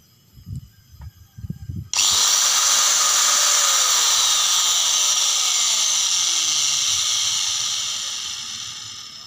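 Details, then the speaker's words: Angle grinder making a crackling noise at switch-on: a few handling knocks, then a high whine with rough crackly edge; carbon brushes found nearly worn out. "Bunyi berderak itu adalah tanda bahwa sikat karbonnya hampir habis, kawan-kawan."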